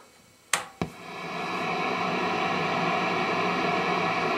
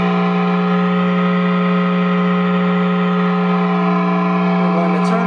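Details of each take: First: Hughes & Kettner 50 W Switchblade amp, effects loop off, Decimator G-string now on AC power instead of battery, guitar not through the pedal board: two switch clicks then steady even hiss, no rising hum; noise floor about the same, normal. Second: Loud steady 60 Hz ground-loop hum with overtones, unchanged throughout, through a Hughes & Kettner Switchblade 50 W amp; ISP Decimator G-String shares a daisy-chained pedal power supply with pedals before the amp input.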